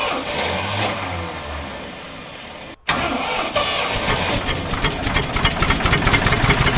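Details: Old Ford loader backhoe, long unused, cranks, catches, then rough idle with irregular pops and spits; mechanic suspects it isn't getting full gas flow, as a fuel line connection leaks gas badly; cause not confirmed.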